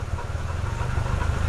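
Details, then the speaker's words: Nissan S15 idling with AC on, after a new coolant temp sensor, belts, plugs and a full fluid flush. A deep rumble with an uneven, lumpy pulse; it still runs rough, cause not found, and the motor otherwise seems healthy. "All right, well, engine bay sounds a little rough, but the AC's hitting."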